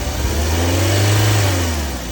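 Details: Head gasket check with the radiator cap off on a fairly warm engine: smooth rev rising and falling evenly with no knocks or misses; coolant circulates without strong bubbling, so the head gasket is OK; normal engine revving.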